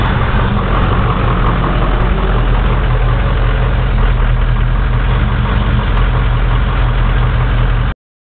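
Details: Ford 6.0 Powerstroke diesel just after cold start, sat about 10 hours at 75°F: loud uneven lumpy clatter with no steady rhythm at idle; rough cold idle, owner suspects bad injectors or glow plugs.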